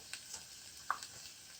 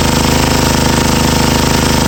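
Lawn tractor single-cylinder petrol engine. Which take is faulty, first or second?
first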